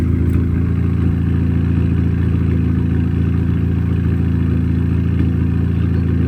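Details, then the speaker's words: Audi A3 8P uneven, stumbling idle with a lumpy pulse about four times a second; misfire persists after new 16-inch wheels were fitted, cause not yet found. "so as you can hear the car is still misfiring"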